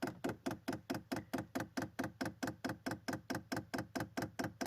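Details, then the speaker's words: Diesel heater fuel pump in prime mode, heater not running and no damper fitted: rapid, sharp, evenly spaced ticks at steady loudness, around 67–69 dB; normal dosing pump ticking. "It's ticking away quite loudly, as you can hear."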